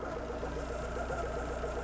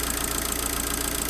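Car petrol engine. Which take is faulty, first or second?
first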